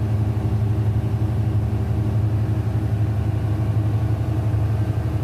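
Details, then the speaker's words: Denyo DCA610SPM diesel generator that would not start, idling after the magnetic pickup and its yellow/black wiring tested good (about 1.3–1.4 ohms, continuity OK): smooth, even low drone with no misses, knocks or hunting; normal idle. "So the magnetic pickup and the wire is good working condition. Now we fix to start check. Okay, start."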